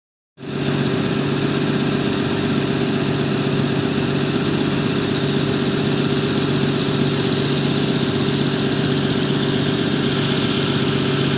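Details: 1974 Jaguar XJ12 Series II V12 starting and settling into a smooth, even idle with steady hum, no misses, knocks or hunting; engine now running on all cylinders.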